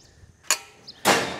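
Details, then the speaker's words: Overrun clutch of a roughly 60-year-old New Holland Super 78 wire-tie baler, turned by hand; two crisp clicks as its two pins skip over the swirl drive, letting it freewheel when the PTO is off. Normal overrun clutch clicking. "you can hear it click and it it allows uh this to continue spinning when you turn off your pto"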